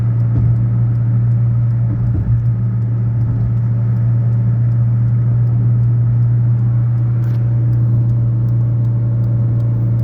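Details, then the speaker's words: 2011/2012 Fiat Uno Way above 100 km/h: loud, steady whistle-like hum over road rumble, only in gear, stopping when the clutch is pressed, rising with speed; several parts already replaced. "Aí é um barulho muito alto. Só faz com ele engatado, em marcha no caso, né?"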